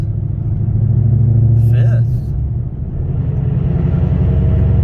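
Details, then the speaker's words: Car with McLeod RST twin-disc clutch pulling away at about 20 mph in fifth gear, very low rpm: deep juddering rumble pulsing about four times a second; clutch chatter. "You hear that noise? That's clutch chatter. And people complain about that."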